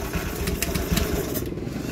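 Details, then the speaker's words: Honda Scoopy FI scooter at idle: steady low drone from mid-engine, identified as worn crankshaft main bearing, before disassembly. "H bisa didengar ya kondisi si di awalnya ini seperti suara pada bagian tengah ya atau suara lahar kroas"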